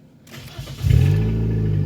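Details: 2005 Nissan Sentra with intermittent no-start, first start after replacing the bad starter and reconnecting the battery: brief crank catches within half a second and settles into a steady, even idle with no clicking. Normal start.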